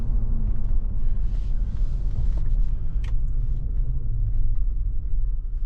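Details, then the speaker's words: 2007 GMC Yukon after rebuilding the destroyed limited-slip spider gears in the 8.6-inch rear differential, driving in 2WD and reverse: even low road rumble, no clunks or bangs; differential sounds fine. "two wheel drive o she sounds nice no clunking and banging in Reverse so far so good no W and noises actually it drives fairly decent"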